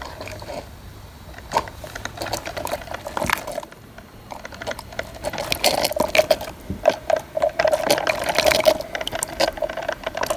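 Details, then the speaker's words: Walmart drip coffee maker after Monoject syringe fix for not dripping: irregular gurgles and bubbling spurts over a faint steady hum as hot water pushes through; pumping and dripping normally, water now reaching the top. "Check it out, it's dripping. So we're fixed, I believe. We are fixed because before the water was never reaching up here."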